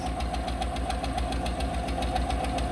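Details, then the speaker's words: Fleet truck with 111K miles at idle: sharp even tick about four times a second over a steady idle from one unhappy lifter; no misfire registering yet. "So you can hear it's got one lifter that's not happy. It's not registering a misfire yet, but there's one lifter"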